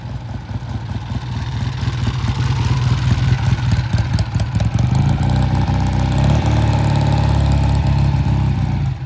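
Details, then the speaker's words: 1967 Triumph twin ridden past, bike had been sitting a while: ragged, missing beats at low rpm, fine only above 3,000 rpm; low-rpm misfire from clogged pilot jet. "Yeah, you heard it, too. I just didn't trust it. Just get it up above 3,000 and she's fine."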